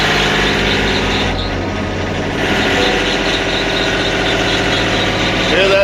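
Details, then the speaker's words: Sawmill engine not yet warmed up, idled up: thin wavering squeal over the run; extra-loose drive belts slipping, squeal only while warming up, to be tightened. "Hear that squeal? That's not good. Alright, so we're going to correct that."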